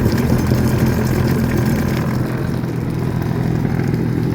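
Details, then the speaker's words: 2004 Honda F-12X turbo Aquatrax jet ski, about 210 hours, after jet pump rebuild for clanging from rear when run out of water: low even idle rumble, no clanging or scraping, only a ladder rattling; healthy after repair. "Real quiet. That's my ladder rattling. That's nice."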